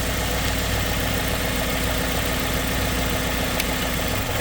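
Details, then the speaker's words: 2010 Chevrolet Cobalt 2.2L idle stumbling and shaking unevenly when ground G105 under the coolant hose is touched or wiggled; loose ground causes misfire, sometimes stalling; codes P0107 P0122 P0223 P0615 P0010 P0013. "you see it misfires you can see it's kind of like shaking hard so I'll show you here you can see it clearly so all I do is I just touch it a little bit soort of wiggle it around and you can see it just kind of misfires"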